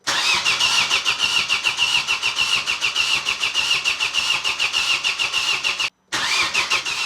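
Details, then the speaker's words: Opel/Vauxhall Astra with swapped engine, first start attempt, battery going flat and jump leads connected: steady starter churn with even whine and compression beats, never catching; crank no-start, only a little fuel reaching the injectors. "What I'm going to do is connect the jump leads from the PAT cuz the battery is going dead already. Okay, there is a bit of fuel, but not much."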